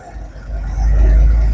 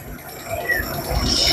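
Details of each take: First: Daihatsu Coure engine after the pipe check: short stretch of steady low rumble, even and smooth with no hiss, whistle or ticking; idle sounds healthy. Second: Daihatsu Coure engine: a thin high whistle over low engine rumble stops when the hose is pulled and swells again when it goes back on; mechanic suspects the vacuum pipes were connected the wrong way round, letting the engine draw air.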